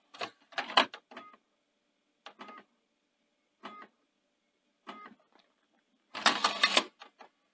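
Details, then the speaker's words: Panasonic DMR-EZ48 VHS/DVD recorder (2011), bought faulty with DVD drive issues, slow boot and error codes: brief clicky whirs, then a longer harsh run as the DVD tray drive overruns its stop; owner suspects a faulty tray end sensor. "yeah it sort of drives on so it strikes me as probably something wrong with that an end sensor there for the the tray"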